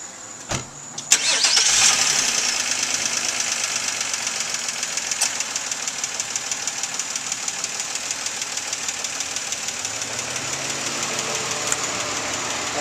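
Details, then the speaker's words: 2004 Nissan Maxima 3.5 VQ, fully warm after an hour's running, idling with hood open; fast light ticking about three per second over fan whir, three weeks after timing chain and tensioner replacement; owner suspects lifter or valve tap, possibly normal. "you can hear the ticking that I'm talking about try to get closer do that and look coming from other part over that's with the hood open obviously um that's the sound I'm getting at idle the car's warmed it's been run uh for an hour or so now"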